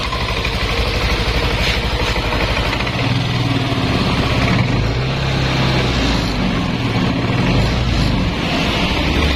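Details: Yamaha Nmax scooter after repair of a wiring fault that caused crank-no-start: steady single-cylinder putter at idle with an even beat and no misses or sputters; runs smoothly again.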